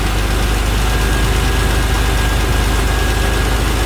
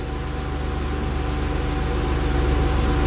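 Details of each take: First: 1991 Acura NSX track car with J-series swap on AEM standalone ECU: idle air cracked open to raise idle a few hundred rpm for stability, steady even drone, now idling around 1050 rpm before ECU retuning. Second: 1991 Acura NSX track car with J-series engine swap and AEM V2 standalone ECU, idle being tuned toward 850 rpm target: steady even idle, smooth low rumble, actual within about 50 rpm of target, AFR around 13.8–14.0; stable idle.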